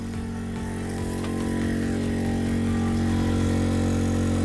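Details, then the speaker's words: New Yamaha 2kVA generator powering RV, recorded next to door, heater/air conditioner plus microwave on to try tripping it: steady drone with firm low hum swelling under load, running evenly but working hard; normal running under heavy load. "i'm going to attempt to trip out the generator again let's put the microwave on that is working really hard"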